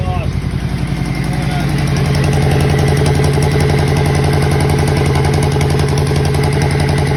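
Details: 2013 Yamaha Royal Star motorcycle idling with a quick sharp puffing tick on every firing pulse from an exhaust leak.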